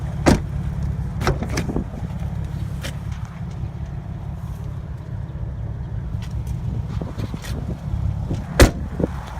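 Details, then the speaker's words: 2007 Dodge Nitro R/T with 161,000 miles, inspected at auction: steady low engine hum at idle with a few door and handling knocks on top. Motor sounds good, though the check engine light is on. "Motor sounds good. Check engine lights on."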